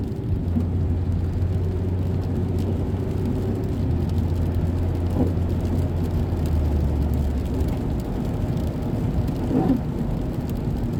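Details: 2006 Mazda 3 2.0-litre on a road test after engine and transmission mount replacement for rattling/popping noise: smooth, even engine hum with wet-road tyre hiss, no clunks or thumps under load; normal driving.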